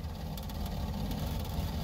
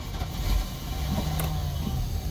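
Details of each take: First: Boat engine with Holley Sniper EFI on a hot restart, IAC set to 20%: a lean surge at startup, then a slightly uneven, wobbling idle as the mixture goes too rich. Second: Boat with Holley Sniper EFI and updated settings, cold start at the launch ramp with outdrive down: catches first turn and settles into a steady, even low rumble, no stumbling.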